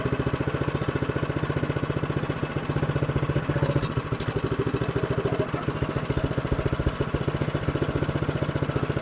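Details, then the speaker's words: Newer TroyBilt snowblower after repair and reassembly, on choke: even, rapid firing pulses at a low, steady speed that never climbs, well below full throttle; owner suspects throttle setup or a carburetor issue. "yeah she runs but she's not running very good so it sounds like the throttle's not set up right okay as you see it's running but it's not running Full Throttle"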